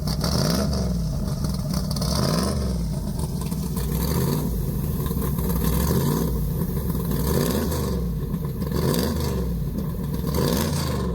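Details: Deep rumble rising and falling cleanly with each throttle blip, no knocks or ticks, from a big-block in a four-speed Polara 500; normal idle and revs, healthy.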